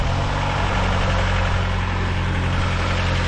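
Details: Car with a 2.4 engine and gas fuel system, weak battery, just started: a steady, even low rumble at idle with no knocks, misses or whine; it runs smoothly.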